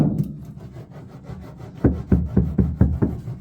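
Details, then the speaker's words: 1985 Chevrolet K10 cab floor after butyl deadener and hybrid insulation: quick run of dull short thuds about four a second with no ring; floor panel sounds solid, most resonance removed. "But, sounding pretty good. It's sounding pretty solid in comparison to"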